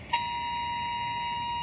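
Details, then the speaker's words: FedEx linehaul truck drive-cam alert heard in the office: a single steady high-pitched beep of about 1.5 seconds warning that the driver, doing 47 mph, is following too close behind another truck. "and it's saying that he's following a little bit too close. He's doing 47 miles an hour."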